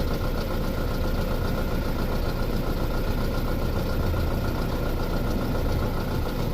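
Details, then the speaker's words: 2006 Audi A4 2.0T with P0300/P0303 codes, pulse sensor at the exhaust with one side blocked: rough, uneven idle with an irregular stumble; the waveform shows a missing exhaust pulse, pointing to a cylinder 3 misfire. "Yeah, we got a good sync. Looks like we're missing an exhaust pulse right here."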